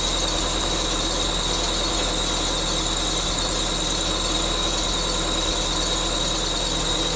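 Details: 1999 Subaru Forester S 2.5L EJ25 SOHC, first start-up after head gasket replacement, running: steady high-pitched squeal from a belt dragging on the bottom pulley, which was on a little too tight.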